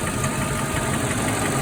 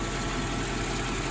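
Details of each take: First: Mercedes E420 V8 on first cold start after sitting about four weeks, following a throttle body rebuild: steady light ticking about three per second over a rough idle. The owner suspects a lifter, and the noise faded once warm. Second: Mercedes E420 V8, after lifter-noise treatment and driving, final engine-bay check: quiet, even idle, smooth hum, no clear top-end ticking; lifters quieter, owner unsure if additive or just running fixed it.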